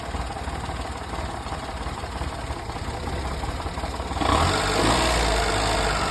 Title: 1998 hijet (fuel injected) rough idle